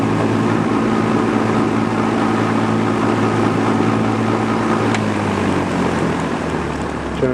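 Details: Vintage all-metal Duralux box fan with Westinghouse fractional horsepower motor, on high speed: steady low hum with a buzzy drone that sags in pitch as the motor slows; vibration noise absent on low speed, cause unclear.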